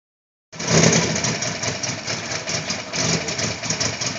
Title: First semi-idle after swap, (exhaust leak)